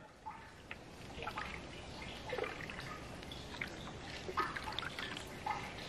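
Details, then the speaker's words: Flooded 2018 Audi RS3 with the sump drain removed: uneven trickle and drips of thin, watery liquid running out. The engine oil sump is full of water. "you can still hear the water coming out the sump so it's still going still dripping"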